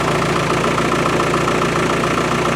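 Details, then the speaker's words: Land Rover with Isuzu 4BD1T turbo diesel, cold start at -4°C after glow plugs and the cold-start/choke knob pulled out, cold-start fix attempted, injectors renewed: fast, even clatter at steady cold idle, revs rising, usual cold diesel smoke (not oil); started much better, running fine. "there's me exhaust but it like I said it's it it started a lot better and you can hear the RPMs come up but it always smokes when it's cold and it's like diesel smoke it's not oil"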